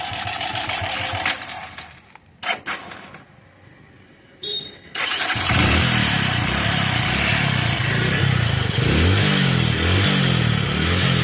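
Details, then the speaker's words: Motorcycle engine with oil in the silencer and white exhaust smoke cranks, catches and settles into a busy idle with a light top-end clatter. The cylinder bore and piston rings are worn and burning oil, so the bore must be replaced, not just the cam chain. "நீங்களே பாத்துருக்கீங்க இதுல வண்டி ஒன்னு wide smoke வருது. ஓகேங்களா அதனால கண்டிப்பா போர் மாத்திதான் ஆகணும்."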